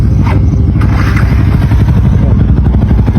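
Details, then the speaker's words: Sniper 150 motorcycle engine built to super stock with new 5.5 lift cams: loud, dense, even low-pitched running with no knocking or ticking; engine smooth and very quiet, with good RPM. "Pakinggan mo yung makina. Yan. Napaka-silent ng ating engine."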